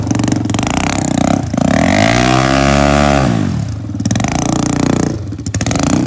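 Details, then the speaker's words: Honda 400ex single-cylinder after a head gasket repair, compression up from 30 psi to 115 psi: it picks up cleanly on each blip and drops back to a steady idle, running better with more power. "now it runs way better as me more power"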